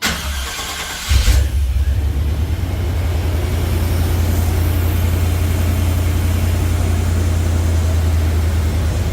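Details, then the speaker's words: OBS truck with a new 1998+ Vortec starter replacing its dragging one, second test on a cold engine: a short crank of about a second, normal for this truck cold, then it catches and settles into a steady, even idle. "3 and for this truck on a cold start that's about right it takes a second or a second and a half to actually kick over sometimes longer if it's cold like outside cold"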